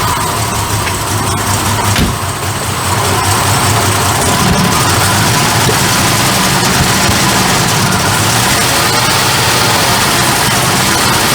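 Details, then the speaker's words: Barn-find Jaguar Series 3 V12 started after fuel tank work and a new sender unit: loud steady idle with a slightly uneven, stumbling beat, definitely missing a bit, suggesting a cylinder or two misfiring now and then. "Definitely missing a bit."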